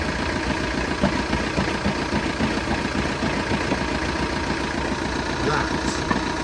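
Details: Idling engine with a steady rapid tapping over the low rumble, staying even at constant idle; an engine knock of unknown source.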